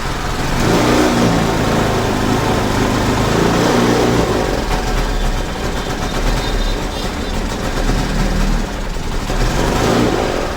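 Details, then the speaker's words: Suzuki Access 125 scooter revs unevenly, sputters and bogs when the throttle is opened, and stalls on more throttle; the bush inside the intake hose near the air filter is missing, letting in too much air and causing a lean misfire. "और जैसे दोस्तों इसका accelerator देंगे हम तो गाड़ी चट कर देने लगे"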